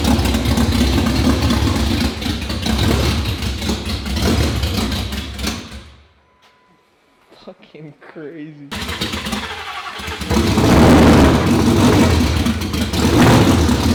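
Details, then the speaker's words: 2019 Roush Stage 3 Mustang V8, first start after a blown engine. It runs rough and choppy only with throttle held, dies for a few seconds, then refires. Camshaft position sensor circuit codes are set; a possible harness issue is suspected. "all right guys so we got the car started i you have no idea it's not quite running on its own i was having to give it a little bit of throttle to keep it running we have a couple of codes for cam shaft position sensors etc"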